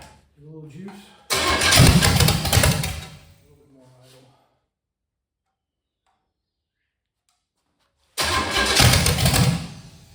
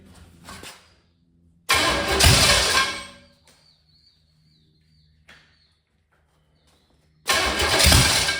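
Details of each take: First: 1985 Chevy Camaro 400/406 small-block V8, first start in over 20 years after reseal, plug wires rotated: two short rowdy bursts, catching and running loud and choppy with silence between; healthy lopey big-cam motor that runs, timing still to be dialed in. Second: 1985 Chevy Camaro 400/406 small-block V8, first start in over 20 years, plug wires rotated: cranks and catches in rough bursts, fires unevenly and dies after a second or two, almost idling; ignition timing still needs dialing in, no timing pointer yet.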